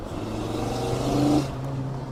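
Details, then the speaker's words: Whine under throttle from a 5-cylinder-swapped Mk2 GTI during hard shakedown driving: steady mid-pitched whine rises over the engine, supercharger-like, and cuts out off throttle; owner suspects the transmission, gear oil never changed, not confirmed. "yeah I don't know what that noise is about uh it's kind of like a wi it sounds like I have a supercharger oh it might be transmission related"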